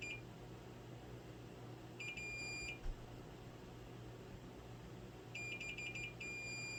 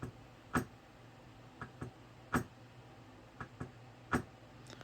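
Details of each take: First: Golden Tee arcade board with damage after someone removed and resoldered the main CPU: multimeter continuity beeps, two bursts of short high tones over room hum, confirming a probed trace/via still has continuity. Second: Golden Tee arcade board with mouse-urine damage, booted with the suspect chip removed: faint sharp clicks repeat about every 1.5 seconds. The board is stuck in a constant reset and does not boot.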